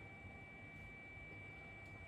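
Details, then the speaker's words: Flashforge Adventurer 3 3D printer, 4 years old with about 1300 hours, before printing: quiet, steady airflow hum with a thin high whine and no ticking or rubbing. Only the exhaust fan is running, not the internal fan; normal. "can hear there's a little bit of a noise from that fan that's running at the moment now that fan inside the printer is not yet running it's the exhaust fan that's running at the moment"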